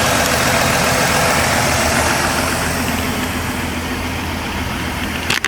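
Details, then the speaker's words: 2016 Ford F-150 3.5 V6 running after the correct starter replaced a wrong one; normal temperature, good oil pressure, and smoke from fluid in the intake and exhaust clearing. Smooth, even idle hum with no knocks or stumbles. Normal idle. "She's quiet though. I'm gonna go check the temperature. Well, temperature is normal."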